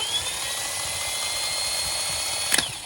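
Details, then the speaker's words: Replacement starter motor spinning freely on the bench from a battery, a smooth, steady high whine with no grinding; the old starter barely spun (brushes suspected), which was why the car would not start. "All right, that sounds like that one's working. Hopefully we'll get our motor going again."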